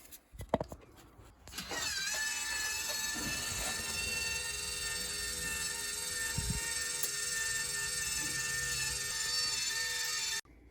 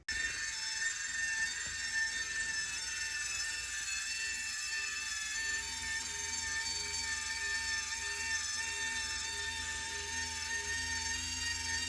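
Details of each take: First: Whirlpool water softener control valve motor, after it ran continuously: steady high-pitched whirring about nine seconds, then stops cleanly; motor now homing and stopping normally. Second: Whirlpool water softener control/timer motor: steady high whirring with a faint repeating tick that never stops, because the stop switch isn't sensing the signal to stop.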